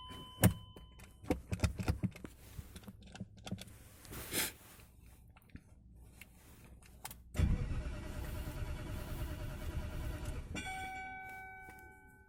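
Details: BMW E39 with the 4.4L M62 V8. After key and door noises, the starter turns the engine evenly for several seconds but it never fires; crank no start with no injector pulses.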